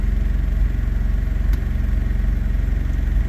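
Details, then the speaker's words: Honda Prelude, past cold but not yet at operating temperature, after reconnecting a loose intake tube: a steady, even idle at about 800–900 rpm with no misses or hunting. The engine is running smoothly. "hell yeah buddy we're at uh it's not operating temperature but it's past cold and we're sitting at about 800 900 RPMs"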